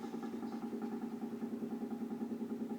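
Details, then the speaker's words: Low, steady hum with a soft pulsing about three times a second, coming from an apartment sink drain only when the air conditioning runs (set to 76°F); it is louder up close. Cause unclear, possibly linked to the AC. "this is a typical example of what I mean when I say I hear the noise coming from the sink only when the air conditioning is on"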